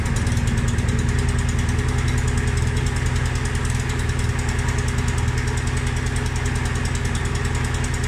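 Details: Mountfield SP536ES self-propelled mower, RM55 160cc engine: steady, even single-cylinder chug with smooth low thrum, no misses or knocks. Normal running.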